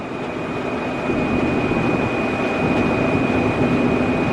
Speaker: should be good i'm just going to dive into these beans and we'll see [Music] sounds fine so we're gonna keep going maybe it was something that got caught